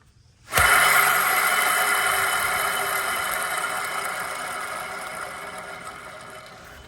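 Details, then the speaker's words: RWD Dodge/Chrysler (Magnum, Charger, Challenger, 300) front wheel bearing hub, previously replaced, hand-spun off car; rough gritty whir fading, no play; moisture entered through poor seal; replace hub assembly: worn wheel bearing. "As you can hear, that's clearly the bad one. There's no play in it or anything, but it's definitely noisy."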